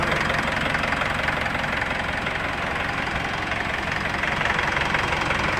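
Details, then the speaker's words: Mitsubishi Pajero diesel after repair of wrongly installed timing belt, rocker arms fixed, new sealant and fuel filter: even steady diesel clatter at idle, no misses or odd knocks; normal smooth idle. "Alhamdulillah sudah tidak ada masalah suara juga sudah halus"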